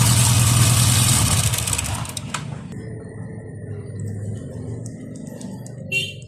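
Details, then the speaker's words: TVS Ntorq 125 scooter engine running loud for two seconds with a fast, even metallic chatter over the exhaust beat, then fading; timing chain rattle, chain to be replaced. "एक TVS Ntorq 125 है, इसमें timing chain से आवाज आ रही है।"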